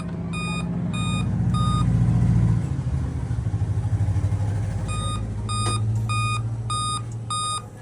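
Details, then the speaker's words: Laptop at power-on: display opens normally but speaker gives repeated high-pitched beeps in groups of three to five; cause given as a discharged CMOS battery on the motherboard; CMOS battery failure beeping. "दोस्तों अगर आपके laptop इस प्रकार आवाज आती है speaker से बाकी डिस्प्ले सब कुछ आपका खुलता है नॉर्मल लेकिन आपकी आवाज जो ऐसी आती रहती है कंप्यूटर बार-बार और आप काफी इरिटेट होते हैं"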